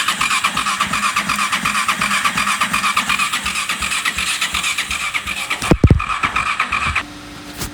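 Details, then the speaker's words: Honda VFR800Fi Generation 5: steady cranking chug, about six per second, keeps going without the engine catching, even with the ignition turned off, then a clunk; the switch didn't stop it. "wow that was scary that switch didn't work even when i turned the ignition off um that just kept firing on oh not good"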